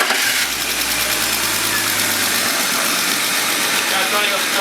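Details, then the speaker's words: Wrecked BMW E36 328i convertible six-cylinder, started with the radiator pulled clear: steady, even running, no knocks or misfires. Not sticky, sounds good; normal running, though internals unchecked. "the engine is clean well we don't know we need to pull it down but it starts it's not sticky it sounds good it looks good"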